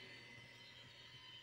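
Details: Epson V39 scanner after a communication error was fixed by reinstalling the software, now scanning. Soft, steady high-pitched whir over a faint low hum, even throughout: normal carriage motor running.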